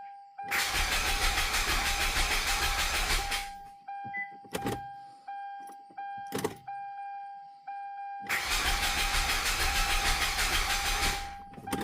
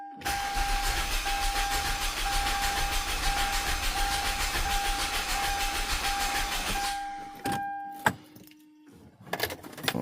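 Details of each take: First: 2007 Hyundai Santa Fe 3.3 V6 after timing chain replacement, with low power steering fluid and no fuel pump heard priming: two cranks of about three seconds each with an even starter whine and no fire. Crank no-start; owner believes the timing is 180 out. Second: 2007 Hyundai Santa Fe 3.3 after a timing chain replacement, cranked with the fuel pump fuse pulled to check cadence: about seven seconds of even, rapid cranking over a steady starter whine, no firing; normal cranking.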